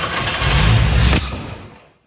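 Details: 1967 Mustang carbureted engine, air cleaner off, vacuum lines disconnected during timing adjustment: catches and revs about a second, then runs down and dies within two seconds; fuel delivery problem, fuel starvation.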